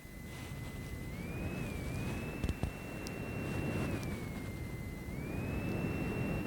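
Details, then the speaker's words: Belkin Ultra ChargePro 3-in-1 magnetic charging dock, with the mic moved close to the fan. A thin fan whine steps up and drops every couple of seconds as the fan switches on and off; owner wonders about a heat sensor. Intermittent cooling fan cycling, cause not confirmed. "You can actually hear there as well the switching on, switching off, switching on, switching off. It's very strange."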